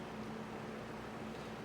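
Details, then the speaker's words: Mid-to-late-1950s Atkins Breeze-All 20" two-speed box fan with thermostat, shaded-pole 6-pole Hunter motor, heavy solid-steel blades: a steady, even whir with a constant low hum and no ticks or rubbing; runs normally. "And that way you can hear the startup sounds that this fan makes on both speeds."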